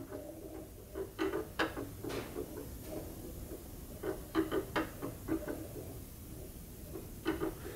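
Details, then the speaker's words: Milling machine setup duplicating the hole pattern between new and repaired lathe spindle gears: light, irregular scraping ticks in short bursts as the cutter flutes rub the workpiece during alignment. Tool rubbing on workpiece. "okay and you can see the flutes are this way right now that's where the rub noise is so we got to go side to side here"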